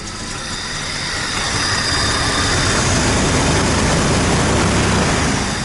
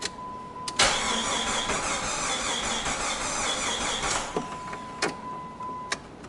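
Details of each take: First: 1999 Jeep Grand Cherokee 4.0 L six, a no-start, running after a month sitting once the shorted crank sensor was replaced: steady, even idle with a regular pulse and no knocks or misses; runs normally. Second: 1999 Jeep Grand Cherokee: the starter churns steadily for about three seconds without catching, then chimes. Cranks but won't start, traced to a bad crankshaft sensor.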